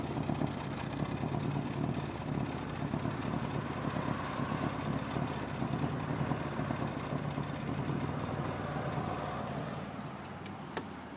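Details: Nissan Maxima in Park, recorded at the exhaust: fast light ticking over an uneven, slightly hunting idle with RPM jumping and the car shaking; no leaks found, one code stored; cause of the ticking rough idle not yet found.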